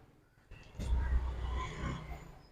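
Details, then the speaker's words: Refrigerator compressor opened and repaired for a noise problem, run directly with main wire on common and running terminals and a spark across running and starting: soft thump at start, then low even hum, no knocking or rattle; running quietly after repair. "तो अभी इसको on किया तो बहुत अच्छे से यहाँ पे चल रहा है, ये साउंड कोई आवाज़ नहीं आ रही।"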